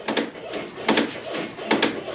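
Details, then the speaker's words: Project car at 4x4 height with worn struts and rubbing tires: sharp pops and crunchy creaks on each downward bounce of the front suspension, first suspected as sway bar end link or struts, found to be fender liner on the coil spring. ">> What is it? The fender liner is on the spring."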